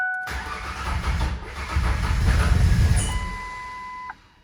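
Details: 2000 Ford Ranger 3.0L V6 after rebuild, which started fine the day before and has since had fuel additive put in: starter turns it slowly and unevenly, about three to four beats a second, almost tries but never fires; weak battery suspected, not confirmed.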